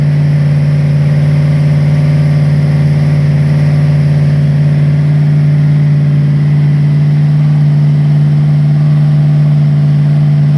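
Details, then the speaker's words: Freshly rebuilt Ford 302 V8 for 1966 Bronco, first start on run stand: rough, lumpy uneven idle with deep drone, dead cylinders by ear; carburetor blamed for dead cylinders, later a tick during cam break-in traced to a bad lifter. "so something's not right i didn't want to hear that you don't have to show this dead cylinders i can tell the way it sounds it didn't sound right"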